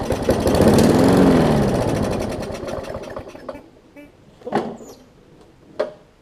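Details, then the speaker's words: Newer Murray push mower with a classic Briggs engine, oil leaked into the gas and water in the oil: fires and runs briefly at about four beats a second, then winds down and dies, oil-contaminated fuel starving it. "it's got a ton of junk in it that's probably going to blow a whole big old smoke screen whenever i get it running here"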